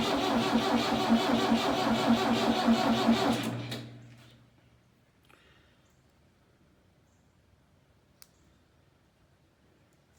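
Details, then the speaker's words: Old diesel tractor abandoned in a meadow for three years, with an old battery and fuel line and pump issues: steady starter cranking at about 2.5 turns per second, injector lines loosened, never catches; bleeding air from the fuel lines until fuel comes out. "is definitely getting there so we're doing it we're just going to have to crank it until we get fuel"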